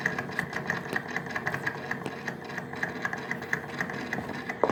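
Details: Daewoo refrigerator evaporator fan motor, previously noisy a year ago and fixed by cleaning: steady motor hum with light fast ticking rattle about three times a second from the worn, vibrating fan motor; noisy evaporator fan motor.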